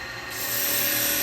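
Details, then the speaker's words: Woodturning a spalted wood vase with a carbide tool, lathe at about 2,281 rpm, tool pushed in flat: a smooth, even shearing hiss with no chatter or catches; a clean cut with no torn grain. "and now when you fush in this way straight away you can hear it you can feel it look that so much Kinder on the tool on the"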